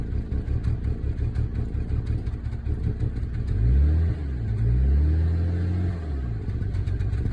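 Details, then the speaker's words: Volvo S80 T6 with check engine light on: deep, uneven idle with lumpy low-end pulses that stumble when blipped; engine misfiring, running rough and shaky. "Check engine light came on. It's really shaky."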